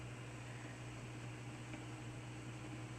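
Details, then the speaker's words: Quasar VR-1000 VCR after replacing the stretched take-up reel belt and servicing motor bearings and pulleys, rewinding a 120-minute tape: quiet steady low hum of spinning reels, no grinding or scraping; normal rewind. "there's no grinding sounds it's uh i'm gonna let that do its job"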